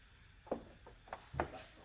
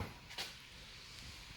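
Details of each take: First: JVC DLA-RS15-U D-ILA projector that won't power on or light: sharp uneven clicks every second or two as the lens door motor cycles, door trying to open and sticking; fault traced to the power board. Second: JVC DLA-RS15-U D-ILA projector, previously no light with door clicking stuck; now lamp lights, one sharp click as lens door opens/closes then faint fan hiss; lens door operating normally.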